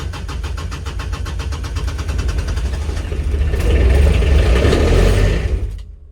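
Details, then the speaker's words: Kubota RTV900 diesel cold start at -8°F after about six seconds of glow-plug heating: fast rhythmic cranking, about 3.5 beats a second, nearly fires then dies. Owner suspects frozen or gelled fuel, with unpurged summer fuel in the tank. Cranks but won't start. "trying to think if i've actually got mixed fuel in this puppy this may be a problem thankfully my battery's pretty awesome yeah i think we may be frozen this might be major suckage"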